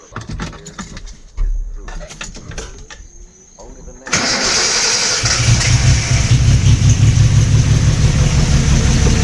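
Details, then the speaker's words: Car being built toward H2Oi 2019, start-up after work: few quiet seconds, then cranks and catches into a rough rumbling idle; startup sounds off to owner, part of noise from intake, cause unclear. "Startup sound kind of weird. Y'all hear that? Does it like sound okay to you guys? I can't tell."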